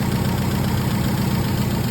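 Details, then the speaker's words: MGB under restoration, carburetors just refitted with new seals: steady, even idle with a smooth low rumble and no misses or knocks, no longer jumping around, no exhaust smoke. Healthy normal idle. "Looks like we got everything running good, pairing like a kitten. Sounds good. Idling perfect. No smoke coming out of the exhaust."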